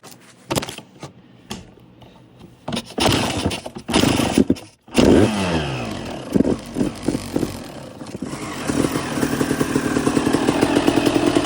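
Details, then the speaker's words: 2002 Suzuki RM250 two-stroke after full motor swap, first startup and heat cycle with choke on, idle not yet adjusted: sputtering catches then fast burbling slightly uneven run; rich running on choke. "rich. I got to adjust the idle still."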